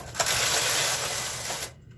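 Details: Knitting machine knitting Fair Isle, two colors, MC and KC, doors closed, slowly, after fixing earlier problems (take-up spring suspected, uncertain): one smooth, even swish of about 1.5 s as the carriage passes, no dragging; running freely.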